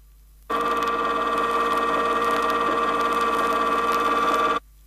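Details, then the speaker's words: 1970 Chrysler rear axle demonstration: loud, steady high-pitched ring and pinion whine with a harsh edge, objectionable noise as pinion is moved out of the drive gear in 2/1000-inch steps; incorrect pinion depth. "At this point, the sound of the gears is definitely objectionable and could be classified as noise. To further emphasize how pinion depth can cause rear axle noise, here is a progression of the sound as the pinion moves out of the axle 2/1000ths of an inch at a time."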